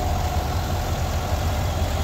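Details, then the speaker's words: 2021 Chevy Suburban 5.3L V8 after repair of cylinder 2 misfire (P0300, P050D): low even idle burble, no stumble, all cylinders including number 2 firing; live data shows zero misfire counts, no check-engine light. "está estable ya está trabajando todos los cilindros bueno el número dos pues el que tenía problemas verdad Pero ya está trabajando ya reparamos el problema"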